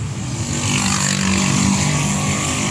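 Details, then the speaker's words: Honda City driven over potholes after greasing the coil spring seat, which was knocking over bumps and when steering: only steady engine and tyre rumble, no clunks or knocks; front suspension noise gone. "And mga boss idaan namin ito sa lubak. >> Nawala >> ha. >> Nawala. >> Nawala yung ingay niya ha."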